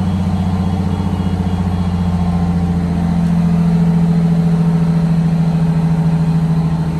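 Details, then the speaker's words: 1962 GM bus conversion with a Detroit Diesel 6V92TA, cruise control used as fast idle while airing up: steady raised diesel drone with faint turbo hum, being checked for slow air-throttle return; normal fast idle. "We got to start and air up the bus. Cruise doubles as a fast idle on this bus."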